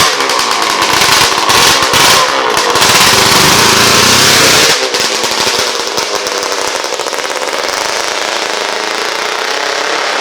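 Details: Yamaha RD400 land-speed two-stroke after fitting restrictor pills in fuel lines to stop float bowl overfilling: crackly, raspy buzz rising on the throttle, then dropping to rattly steady idle; runs clean with no bogging.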